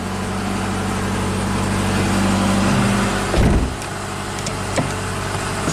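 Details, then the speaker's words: 2008 Subaru Legacy 2.5 SOHC with junkyard replacement engine (164,000 miles on car), after fixing cylinder 4 compression leak and refilling coolant: starts and runs perfectly smooth, steady even idle with no misses or stumbles; normal idle. "all right we'll warm it up make sure the coolant topped off and take it for a spin all right running perfectly smooth"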